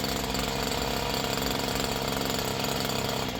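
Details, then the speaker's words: Stihl HL94 two-stroke hedge trimmer with a throttle-limiter wheel set low: small engine buzzes steadily at one fixed pitch, never climbing to full revs, as the limiter caps engine speed. "this they have the the throttle design where you can uh set the throttle where it won't rev up but just so high"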